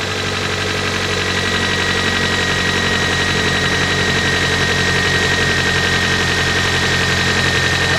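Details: 1991 Toyota Corolla 1.6 idling after replacing the cam and crank seals, timing belt, valve cover gasket and spark plug tube seals, checked for oil spraying: a smooth, steady low hum with a faint constant belt-drive whine. Running normally.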